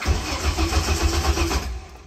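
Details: 1980 Toyota RN30 Hilux 4x4 fitted with a Holden 186 engine (originally 18R), revived with little fuel in the tank: rhythmic starter chugging about five pulses a second for a second and a half, then dies away without catching; cranks, no start.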